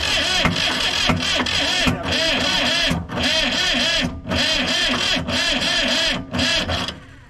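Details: Diesel vibratory roller compactor sitting 30 years, on a whiff of ether: starter grinds in several bursts with short pauses, the engine catching briefly but never running on; hard-starting, no start, very close.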